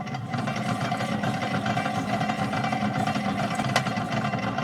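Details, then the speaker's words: 1951-era Stromberg Carlson Velvet Action record changer after relubrication: loud uneven mechanical rumble with lumpy wavering beat instead of smooth hum; still needs new idler and stylus; worn idler wheel. "But of course, you can't hear it just mechanically because of all the noise this thing's making."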